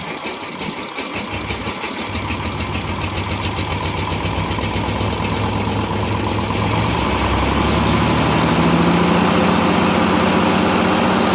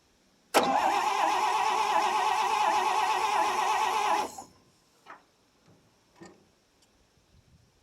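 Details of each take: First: 1957 International S120 4x4 pickup, cold start after about four years sitting, straight-pipe exhaust: catches and settles into a steady, even rhythm building slightly as it warms, no knocks or misfires; healthy-sounding old engine. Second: 1957 International S120 4x4 pickup, about 52,000 miles, sat about 4 years, battery and gas added, breaker points cleaned: the starter spins the engine evenly for about four seconds, near 220 beats a minute, and it never fires; cranks with no spark.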